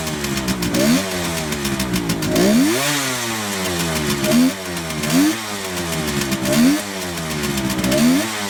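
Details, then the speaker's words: 1971 Kawasaki H1 500 two-stroke triple, rebuilt engine and carburetors, started cold on choke: uneven, ragged, popping revs with the center cylinder dead from no spark; ignition or spark plug cap suspected. "well anyway start running on the center cylinder so we're going to try to figure out why here in a second"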